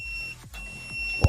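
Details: LG MH7570 microwave reported as making loud noise: multimeter continuity beep sounds continuously whenever the probe touches the magnetron case, showing the magnetron is shorted to ground.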